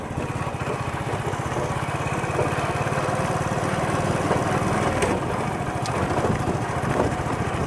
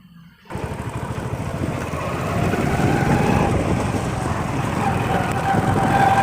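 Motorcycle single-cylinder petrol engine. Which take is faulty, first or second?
second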